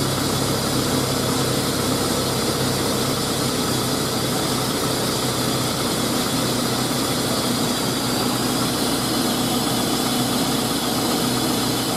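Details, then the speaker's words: 2000 GMC Sonoma 2.2L I4 idling after new belt and tensioner installed, PCV port temporarily capped: even, steady engine hum with no squeal or chirp; belt drive quiet, healthy idle. "just for a day it's not gonna do anything but yeah ain't no more squeaky belt"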